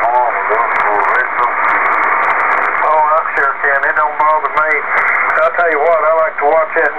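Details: Kenwood TS-2000 on HF, on a nightly net frequency. Heavy, steady hiss with faint garbled voices; only signals of S9 or better are readable, weaker stations are buried. HF radio noise interference.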